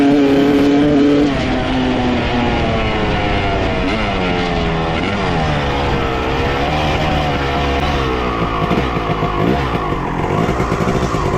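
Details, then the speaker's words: 1995 Honda CR250 two-stroke with a horrible bog, after fitting a swapped carb with the same jets (55 pilot, 175 main): revs rise and fall unevenly and stumble instead of climbing. No change, so the carb is ruled out. "all right unfortunately other carb made no difference still doing the same thing"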